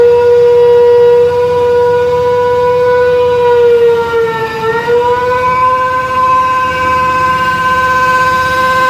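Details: Mini hydrovac vacuum rig: 3.8 L V6 supercharger (likely M90 rotors) plumbed backwards, 15 hp Chinese motor at idle; loud siren-like howl sags briefly under load then recovers; supercharger pulling hard vacuum.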